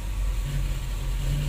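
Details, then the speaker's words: 1985 Cadillac DeVille 4.9L with no power, rough idle and stalling: engine labours and drones when throttle is cracked, MAP voltage drops and it knocks under load; a restricted catalytic converter is suspected. "think our exhaust is restricted see that look at our map with just a little bit of throttle you hear how it's sounding too"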